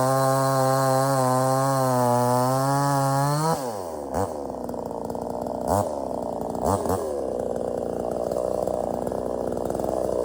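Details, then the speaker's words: $97 Temu Chinese gas chainsaw cutting a partly rotted old stump: revs high and steady, pitch drops as the chain bites, then pulls through cleanly and easily; healthy under load. "All right. But you saw that that cut through that like really easy. No problem."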